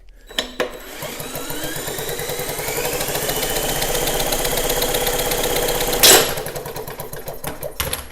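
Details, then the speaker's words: Snapper mower engine cranking fast and unevenly with no firing. Original and replacement plugs gave no spark. With the kill wire disconnected, spark should return, confirming the kill wire as the fault. "Okay, so I took that kill wire off of there. So we should, in theory, have a spark now. Yeah. Okay. So we have determined that it is that wire."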